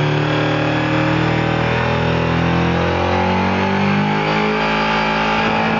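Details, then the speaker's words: Honda VFR V4 motorcycle held at about 6,500 rpm: buzzy, slightly uneven note with some sputtering; choppy at high rpm, owner unsure if all four cylinders are firing. "so that was about 6 500 rpms definitely a little choppy uh you can hear a little bit of sputtering in there"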